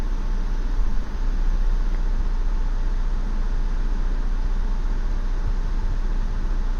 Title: 2016 Ford Explorer Rough Idle